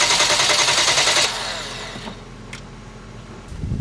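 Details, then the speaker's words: 2011 Hyundai Genesis 3.8 L with crank-no-start, fuel line opened into a bottle: about a second of even, brisk starter cranking that never fires; engine sounds mechanically sound, but no fuel comes out of the line. "right guys you heard the engine crank what do you guys think the engine sounds good it sounds really even there's no inconsistency by the way it sounds so i don't think we have a mechanical problem with this engine and as you can see our water bottle is still empty"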